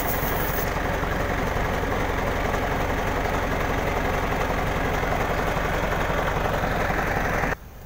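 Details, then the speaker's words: Hino 700 tanker truck with slow air build-up, after the hose was refitted, idling: steady even diesel rumble while air builds; pressure no longer drops quickly and the low-air indicator stays off. "So ayon mga kras hindi na siya bumababa kaagad dahil ah Hindi madaling naubos yung hangin"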